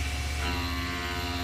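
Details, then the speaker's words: Plunge milling with single-insert hog shear at 20 inches a minute feed-in, reduced from 30 after hogging down, high-pressure coolant on: steady low drone, even tone, no chatter or squeal, bogging down only slightly; normal cut. "Much better. That sounds pretty good. Bogging down a little, but I'm willing to let this run."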